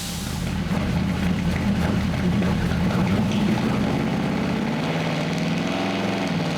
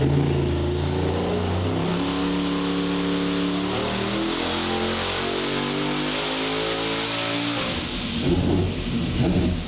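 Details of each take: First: Engine on dyno after adding boost reference regulator and loading a new tune; pulls hard then note stutters and chops at the top, bouncing off a rev limiter mistakenly set low at 5,800 rpm; engine hitting rev limiter. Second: Ultra-low-compression stock-block 427 big-block Chevy with boost reference regulator on a dyno after retune and O2 fix: engine note climbs smoothly through the revs with no stumbles or lean sneezing, then drops off; clean full-power pull.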